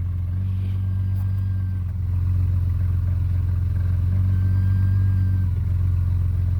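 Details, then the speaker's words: Jeep six-cylinder engine after new brakes, rotors and pads were fitted and bled: a smooth, low, even engine hum with a gentle rise in revs midway and no knocks or ticks. The engine sounds mint and runs clean. "this thing sounds mint though listen to this thing"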